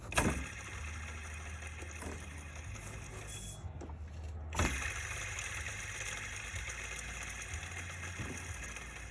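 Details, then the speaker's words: 2009 Honda Accord 2.4L K24Z3 at idle: constant gritty whir and faint high whine from the serpentine belt drive plus a couple of clunks; worn belt tensioner pulley bearing, which had split the drive belt. "just so you know how a bad pulley or bearing looks like just listen to that one"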